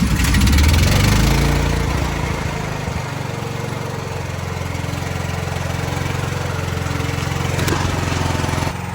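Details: Building backup generator during monthly life-safety testing, running before transfer to load: loud start settling into a steady, even low drone with no misses or knocks; producing power, normal idle.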